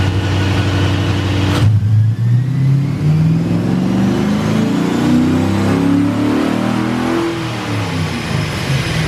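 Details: Honda S2000 with new remanufactured LS1 V8 long block, headers, break-in oil, on the dyno, about 342/363 at the wheels: deep note climbs smoothly and steadily through the full-throttle pull, no stumbles or knocks; strong, healthy engine.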